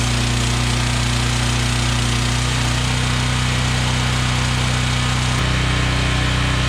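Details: Generac 7000EXL generator unused for 10+ years, running after fresh fuel and air-filter and oil checks: steady, even low drone with a constant beat and no misses or knocks; normal running.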